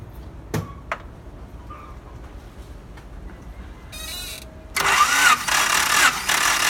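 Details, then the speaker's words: 1992 Honda Accord four-cylinder, wet compression test (a little engine oil added), ignition disconnected: after a quiet pause the starter turns the engine evenly for about four revolutions; strong, even compression, nearly 195. "You can hear around 4 revolutions. Yes, the value is good, nearly 195."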